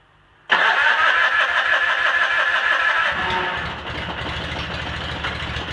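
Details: Cub Cadet 782 garden tractor fitted with a 42-inch snowblower, started after sitting a couple of days: brief quick cranking catches at once and settles into a steady, even idle, a clean healthy start.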